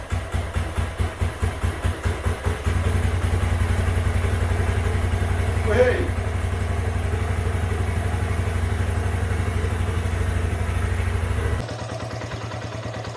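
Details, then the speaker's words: Herald 125 motorcycle single at idle after replacing the carbon-fouled plug and adjusting idle and mixture screw (was 5.5 turns out, running rich): catches with a few sharp pulses, then settles to a steady even low thump; running cleanly. "I've done a bit of fettling on it I've fitted the throttle um adjusted the idle and adjusted the mixer screw a little bit and now it runs much better"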